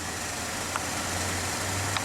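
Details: 2011 Chevy Malibu after fixing an intermittent stumble and stall caused by an internal break in the injector wiring: smooth, even low idle with no misfire or dropouts, and no codes.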